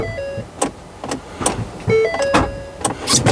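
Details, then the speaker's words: Police-spec vehicle at 140,000 miles: several sharp clunks when trying to start, about two a second, with a chime and no cranking rhythm; unsure whether the battery died mid-start, then guesses the motor is locked up. "oh wow did you hear that I don't know if the battery just died mid start sounded like that"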